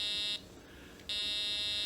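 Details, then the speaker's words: A 2-transistor oscillator built on a solderless breadboard drives a speaker: a steady tone of about 500 Hz cuts out briefly, then returns unchanged; the circuit works properly. "That is a tone of approximately 500 cycles per second, or 500 hertz."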